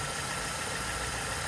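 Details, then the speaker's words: BMW E90 318i at idle, microphone attached to the belt tensioner: constant buzzing chatter; tensioner visibly moving and vibrating, owner suspects it needs replacing, belt looks good. "good so just something I've noticed is this tensioner seems to be moving a little bit and I don't if the camera's going to pick this up if I put this on here I can feel vibration"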